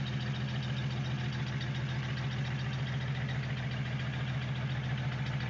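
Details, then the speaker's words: 1951 Dodge Coronet project car idling; smooth, regular idle pulsing about three and a half times a second over a steady low hum, running very well. "and as you can hear it is running and it runs very well"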